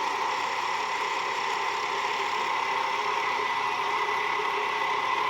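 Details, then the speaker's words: Deber (Italy) dual spindle milling machine (1400x340 mm table, spindle speed 21-1400 rpm) running at its maximum spindle speed: a smooth, even whirr with no knocks, grinding or rattles. No major noise even at high rotation; the spindle sounds healthy. "Working at its maximum spindle speed. As you can hear, there is no major noise at all, even at its high spindle rotations."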